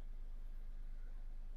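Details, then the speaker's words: 2011 Toyota Aygo 1.0L three-cylinder petrol at 71,000 miles with the engine management light on, idling roughly with a lumpy, stumbling misfire. It shakes more when revved, with the steering shaking, slight tailpipe smoke, a petrol smell, and code P0300 random misfire. "engine management light on basically this 71,000 car 71,000 mileage yeah engine management light on car shaking when I R more shaking you can see the steering it's shaking"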